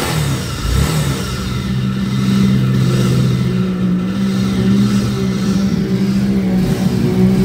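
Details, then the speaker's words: Honda Vario 125 scooter with rough engine: deep rumble under the engine note swelling with revs, attributed to a worn left-side crankshaft bearing; engine to be split open. "oke Bisa jelas ya untuk suara motornya jadi suara motornya bergemuruh nah ini biasanya disebabkan oleh bearinguk as khususnya bagian sebel seb sini ya sebelah kiri"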